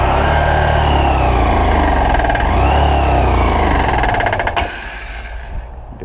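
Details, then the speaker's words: 2013/2014 Honda Fan 125 motorcycle; revving up and down with a dry metal-on-metal rattle on top, worse under load from second gear up, owner suspected cam chain or clutch bell, cam chain replaced, worn cam chain. "ela tá com barulho estranho no motor e quando eu vou passar a segunda pra cima e forçar um pouco mais o motor faz um barulho ferro com ferro eu tô tentando identificar não sei se a corrente comando é comando ou pode ser até a embreagem campana"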